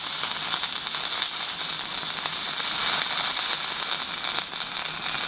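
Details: Stick welding half-inch pipe with a 3.2 mm 6012 rod at about 150 amps on a Magnetic 150 welder: a steady, dense crackle and sizzle, mostly hiss with no low hum, from a stable arc with good penetration.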